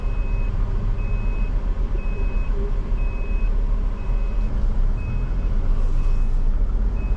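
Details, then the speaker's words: Maruti WagonR CNG taxi while driving, head-mounted camera: clean half-second beep repeating about once a second over engine and road rumble; GPS panic/emergency alarm triggered without the button being pressed, driver unsure why or when it stops. "എൻ്റെ കൈയൊന്നും കൊണ്ടിട്ടില്ല, ഇത് automatically emergency light അടിച്ചേക്കും."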